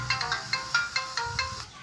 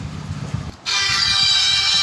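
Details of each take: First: Samsung Galaxy A10s loudspeaker since a software update, ringtone playing even at reduced volume: harsh crackly melody with buzzy breakup on each note; ringer and board already swapped without fixing the distortion. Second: Samsung Galaxy A10s phone speaker after flashing a downgrade firmware to fix distorted over-loud audio: ringtone plays bright, loud and clean with no crackle, rattle or buzz.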